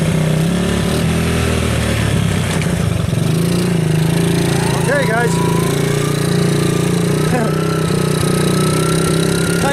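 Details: Kawasaki KLT 110 off the stand with fuel on; a thin, constant high whistle holds its pitch over the steady single-cylinder chug, somewhere around the shifter. The bike will not shift into 2nd gear; owner suspects bent shift forks.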